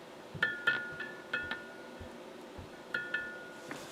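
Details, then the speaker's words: Motorola 68L11 battery-powered tube radio (1.4-volt tubes), restored earlier: bright, bell-like pinging rings out each time the set is tapped, in several quick bursts, then dies away; a microphonic tube. "um that's what's called a microphonic tube"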